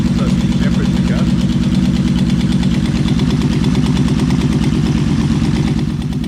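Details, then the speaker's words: Yamaha V4 Vmax, cold start; lumpy uneven idle with irregular loping pulse, sounding like one cylinder dropping out, running on three cylinders; owner suspects a fuel delivery problem, not confirmed. "anyway as you can hear uh it's a fuel delivery problem"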